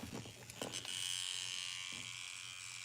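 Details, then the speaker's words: Steering servo on an RC truck emits a constant high, thin electric buzz while powered, straining or hunting at rest with a loose servo saver, until power is unplugged. "All right. Let's unplug the power for now. I don't want to hear that buzzing all day."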